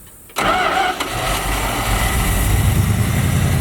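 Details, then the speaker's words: 1972 Dodge D100 with 318 V8, revived after 13 years in a junkyard, restarted with the key after being shut off: brief starter whirr, catches at once and settles into a steady even idle; clean normal start. "I just shut it off now the ultimate test will it start back with a key"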